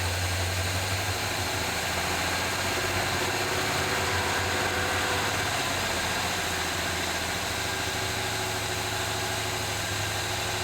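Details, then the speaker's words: 1978 Chevy C10 square body V8 running at idle on 4-5 gallons of fresh gas after finally starting; steady, even low rumble, no knocks or misses. Smoke under the hood, likely leaked transmission fluid burning off; oil pressure gauge not moving. Normal idle. "I think we're just burning off stuff that's been on here for a while. But hey, it runs pretty good."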